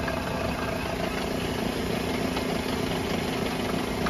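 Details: Car on a stand with the suspension unloaded, engine idling in second gear with the front wheel turning: a steady low drone from the front hub bearing. The bearing was replaced 3 years earlier and hummed after 30 thousand; the owner suspects a non-original part or water ingress.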